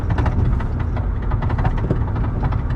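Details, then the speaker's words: 2009-2014 Nissan Maxima driving on rough road: irregular dull knocks and thumps over road rumble when hitting bumps; owner suspects a worn CV axle or wheel bearing, not confirmed. "I'm pretty sure my axle is shot. Wheel bearing, whatever it is, I know it's done. This road ain't the smoothest either, but it should not be making all that noise."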